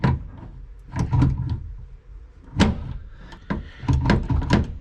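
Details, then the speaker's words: K11 Nissan Micra Super Turbo time-attack build with Coolerworx short shifter just installed; going forward a gear is clear, but shifting back gives irregular hollow clunks as linkage strikes a bolt behind the plate; planned fix is lengthening linkage slightly. "hitting something, and there's like a little bolt which sits behind this plate here."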